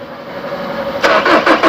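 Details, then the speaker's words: 2013 Chevrolet Colorado Z71 2.5 diesel, 5-speed, after pump bleeding and SCV valve swap: starter whir then rhythmic cranking pulses about six per second that never catch; fuel reaches the injectors but they do not lift, injectors suspected. "น้ำมันมาแล้วนะวันนี้นะสาเหตุก็น่าจะเป็นที่หัวฉีดมีปัญหานะน้ำมันมาแล้วแต่หัวฉีดไม่ยกนะครับ"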